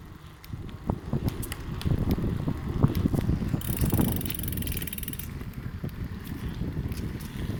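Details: Easton Heist 30 bicycle wheel while riding, tried tubeless and tube, old and new tire, spoke tension changed: sharp clicks as the wheel rolls over wind and tire hum; suspected rim weld, not confirmed.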